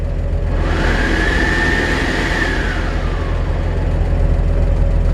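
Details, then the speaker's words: 1947 Chevrolet 3100 pickup idling: heater blower whir rises and settles over the low steady idle; heater comes on and works fine, normal blower operation. "Heater comes on and works just fine."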